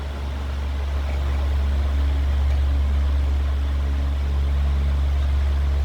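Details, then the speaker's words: New Usha Farrata 500 mm pedestal fan, heard from the back of the motor: steady low hum with slight vibration, no rattle, scrape or pitch change; normal motor hum. "ये जो sound है पीछे से ये sound आ रहा है, hand के पीछे से हल्का इसमें वाइब्रेशन है, हल्का।"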